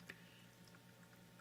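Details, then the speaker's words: AquaClear 30 hang-on-back aquarium filter after lubricating impeller shaft with silicone to stop rattling: steady low hum with only a faint occasional tick; normal quiet running, occasional rattle may need more lubricant. "there's just a hum there's no rattling well there's an occasional rattle so I may have to revisit that"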